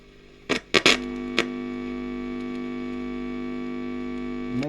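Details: Early-1960s Selmer Little Giant single-ended valve guitar amp, original and long stored; a few knob clicks, then a steady low buzzing hum with overtones; coupling capacitors tested non-leaky.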